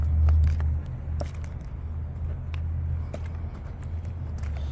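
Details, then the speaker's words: 2023 Carrier Gemini heat pump, roughly 6-ton, Copeland scroll compressor with liquid line solenoid, newly built apartment complex, about 55°F outside: unit not running but apparently ran recently; low steady electrical hum with no fan or compressor turning; idle buzzing, cause unknown. "Sounds like it's been running though, it's buzzing a bit."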